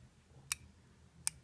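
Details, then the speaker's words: Mercedes W163 ML350/ML500 EGR valve removed for cleaning (P0400/P2001 codes): solenoid bench-tested on small battery with alligator clips, two crisp clicks; solenoid good. "so I'm just gonna close this circuit and we're gonna be listening for a little click noise here"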